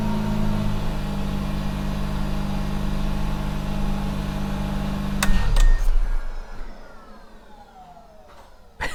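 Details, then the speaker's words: Mazda RX-8 rotary after oxygen sensor replacement cleared the check engine light: smooth even hum for five seconds, then cuts off and spins down with a falling jet-like whistle; normal shutdown. "sounds like a jet engine shutting down. I love it."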